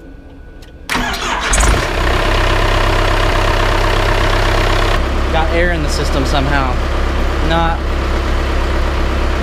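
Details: Engine cold after a night in the garage, battery charged, fuel spraying from the injectors: steady rhythmic cranking for several seconds without ever catching; cranks but won't start, cause not confirmed.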